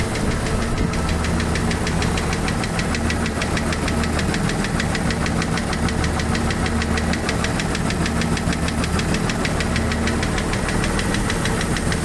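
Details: Jeep YJ 4.0 at steady idle with quick light even tick about three a second; owner doubts it is a lifter, source not pinned down.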